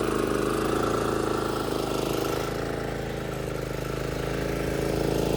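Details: Old John Deere JX-75 walk-behind mower, first start and mow after sitting all winter. Owner thinks it was earlier flooded by over-choking; it started after one choke. The single-cylinder engine runs at a steady, even beat with no misses or surging: normal running.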